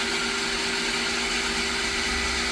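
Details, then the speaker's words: Pedrollo water pump running noisy with a loud, steady, strained hissing roar and constant hum, also leaking from the housing when stopped; worn bearing suspected, bearing removal next. "Imbes na nakasarado dito, may konting singaw tapos medyo maingay na yung ating ah water pump. An. So medyo maingayina no parang may kinakaya sa loob."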